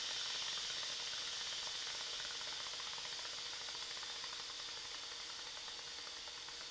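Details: Instant Pot test run, manual quick release of remaining pressure at the steam release valve: strong, steady high-pitched hiss of steam venting evenly with no low rumble; normal quick pressure release.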